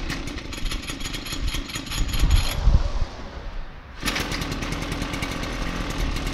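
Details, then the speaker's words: 33cc Mototech pocket bike two-stroke, just bought, runs and drives but needs a little tune-up and cleanup: rapid, uneven buzz that dips briefly then picks back up, running a bit rough. "And it runs and drives, needs a little bit of tune up and a little bit of clean up here and there, but it is all in working condition and should be pretty fun."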